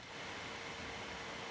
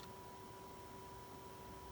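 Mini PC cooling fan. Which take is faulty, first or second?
second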